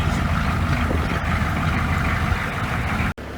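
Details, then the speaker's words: 1988 half-ton van with 6.2 diesel, cold-started on a 20°F February day after glow plug cycle, smoking: deep steady diesel clatter at even idle, no knocks or misses; healthy. "And yes, there is the smoke. Could it be that easy? It's just that easy."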